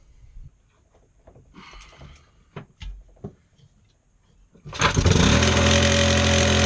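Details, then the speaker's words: Lawnmower engine salvaged from scrap and repaired, throttle lever clamped open; after some clatter it catches and settles into a steady, even run. Sounds healthy, normal running. "Right, so I've got a working lawnmower engine, which is quite a surprise because someone had chucked it out for scrap, but it works."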